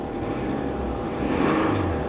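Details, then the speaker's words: 1993 Nissan Maxima at an auction yard, 180,000 miles on the odometer, check engine light on: engine revs up and settles with a dull knock buried under the running noise; rod knock heard, engine shut down. "Oh, I hear a rod though. It's not gone yet. Oh yeah. We'll shut her down. She got a rod knock."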